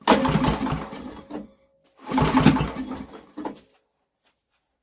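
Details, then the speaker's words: Old Briggs and Stratton generator with a new carburetor, choke on, kill wire disconnected: two recoil pulls turning it over briefly with a single faint pop. Never catches; it won't start. "we got nothing apart from a pop why is it not going"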